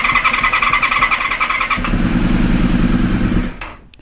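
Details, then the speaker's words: Honda VFR400R after long storage, idle being adjusted: engine sputters and surges unevenly, struggling to hold revs, then dies after a few seconds; still seeking the right carb settings. "oh that just ran for a little while while then and when I grabbed the camera and uh went to film it it stopped"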